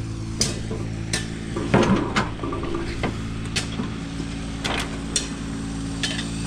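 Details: Allis Chalmers 5015 diesel tractor after draining water from the fuel and lines: steady, even diesel drone at idle with a few sharp clicks, no misfire or stumble; normal running.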